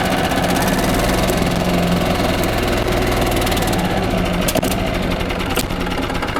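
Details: 1995 Yamaha G14 gas golf cart after starter-generator replacement and PCV hose reconnection: small single-cylinder engine chugs steadily and fairly evenly, no knocks or misses; healthy after the repair.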